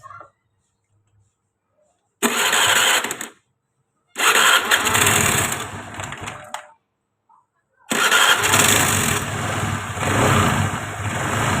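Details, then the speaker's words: Engine that had been smoking, after replacing the worn valve guides and valves, which had caused a rough top-end noise despite tight valve clearances: short crisp revs settling cleanly with no tapping or roughness; engine now smooth and normal. "Nah ini udah diganti dan dilakukan penggantian katup sekalian terus ini sudah normal tinggal kita pasang bodynya dan bayaran Oke untuk mesin sudah halus"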